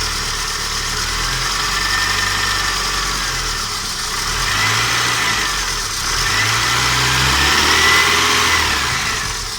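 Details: Citroën BX 14 RE petrol, started after replacing old fuel filters and some hoses (filter connections lack clamps), battery reconnected: engine catches and settles into steady idle with slight rise and fall in revs, no knocks or misses; normal.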